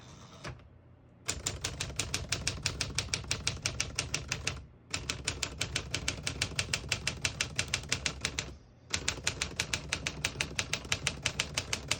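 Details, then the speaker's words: 1949 Smith-Corona Silent portable typewriter: crisp, even key strikes about three per second in runs with short pauses, then the margin bell rings at the end of the line before the line-space return; keys and carriage healthy, nothing binding. "Once you hear the bell, you're at the end of the margin. You hit this line space, gets you back to the beginning."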